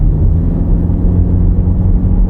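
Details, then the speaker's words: 2026 Toyota Camry hybrid, windows up, radio off, at highway speed over 40 mph after fixing a high-pitched whistling wind noise: only steady low road rumble, no whistle; noise gone. "the noise is gone. So I fixed it, but I do have to say I'm kind of peed off that I had to do something like that on a brand new car."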